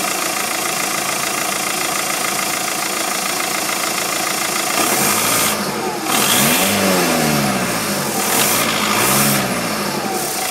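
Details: 2007 VW Golf 2.0 TDI DPF 4Motion, BMM engine, over 136,500 km: steady airy hiss over the diesel clatter at idle, persisting through blips. Unburned-exhaust smell at standstill enters the cabin; source not found.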